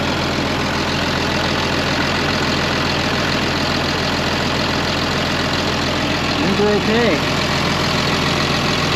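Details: 2005 Ram 2500 diesel idling after the FASS lift pump and fuel lines were replaced, with no leaks and everything tight: an even, steady clatter with no misses, knocks or hunting. A smooth, healthy, normal idle.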